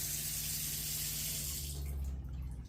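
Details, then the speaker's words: Surveyor 240BHLE RV water system after switching from factory winterization mode to use mode: strong steady faucet rush over pump hum, pump kicking on then off as pressure builds; no gurgling, flow good. "You could hear the water pump kick on and then shut off whenever the pressure builds back up."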